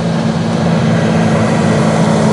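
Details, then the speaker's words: Ford Ranger blower motor at high fan speed, loud whooshing roar with droning hum, quiet at low speed; owner thinks fan is hitting something, debris (leaves) caught in blower fan. "but if I turn it up I'm sure you guys can probably hear that it's not supposed to sound like that I think it's hitting something"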